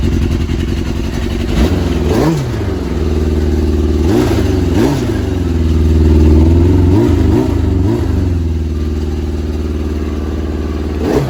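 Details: Yamaha RX1 1000cc four-stroke snowmobile engine, sat 6 years, warming up after ultrasonic carb clean and new fuel bungs: steady, even idle with a few clean blips rising and settling smoothly; normal warm-up running.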